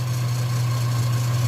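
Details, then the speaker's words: Warm idle on a 1995 Nissan Pickup 3.0L with about half a million miles, after PCV valve replacement and idle adjustment. Idle was about 500–600 rpm and rose on its own to a steady, even, smooth low hum with no hunting or knocks. Normal warm idle. "so it's been warming up and it was that about 500 or six and it's actually gone up on its own"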